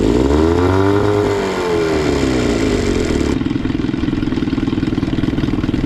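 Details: Johnson 15 two-stroke outboard with good compression and spark on both cylinders, on a water test: uneven, loping idle that sags and nearly dies because the idle stop piece is broken off, so idle speed is set too low.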